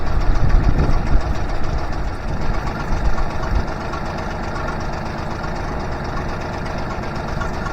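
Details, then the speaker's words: Honda BF25A (BF25AY) 25 HP 4-stroke 3-cylinder outboard with three stacked carbs, idle raised: idle mixture screws turned out during tuning, idle sags with uneven popping and stutter; lean misfire popping. "I'm going to turn these out a little bit, make them lean, and see if I can improve. Okay, you can hear that going down. It starts popping a little bit."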